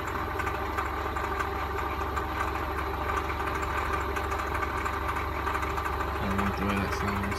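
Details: 1999 Toyota Corolla 1.8 at idle: dull, uneven knock about two to three per second, resembling rod knock; it proved to be the power steering pump pulley.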